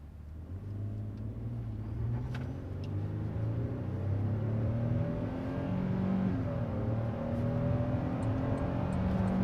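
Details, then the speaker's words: 2022 Toyota Tundra SR5 TRD Off-Road, about 2,000 miles, 10-speed transmission, unladen, floored on the road up to 70 mph: engine note climbs steadily with a throaty sound and quick, smooth gear changes, no knocks or rattles; healthy pull. "So we're about to get onto a little stretch of road real quick, and I'll just kind of floor it for you guys, just so you can hear, one, how smooth this 10-speed transmission is, but also how kind of throaty the motor is when you actually give it the beans."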